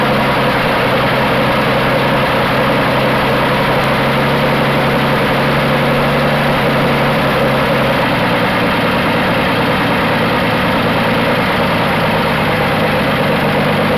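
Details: 1980 Dodge D150 petrol truck at full operating temperature after a short drive, idle being tuned down because it idled high: warm engine idling smoothly and evenly, low hum easing down slightly partway through.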